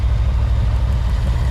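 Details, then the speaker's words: 1988 Ford Mustang GT V8 with a misfire, cylinder kill test at idle: lumpy idle stumbles harder when this cylinder is grounded, so it is firing; two other cylinders found dead. "Hear it change? Yeah. So that cylinder's running. That cylinder's working."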